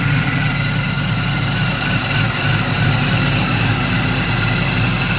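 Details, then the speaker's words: Driveway LS V8 swap with short-tube headers and changed gears, temperature 206 and not running hot: deep, slightly lumpy V8 idle, steady with no misses or knocks; runs well, normal idle. "it runs pretty good. And this is the LS swap."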